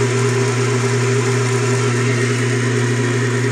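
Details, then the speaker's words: Craftsman Atlas 12-inch lathe countershaft after rebuild with the rebuilt motor, thrust bearings fitted, cover off: steady low hum with no scraping, since the pulley no longer rides against the side. "let's see right no more noise I figured that's what it was"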